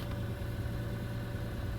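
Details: 2006 Lexus IS 250 AWD that previously would not start, crank or power up (no dash, no accessories), now idling. Steady, even low idle with no misses, knocks or stumbles; normal running.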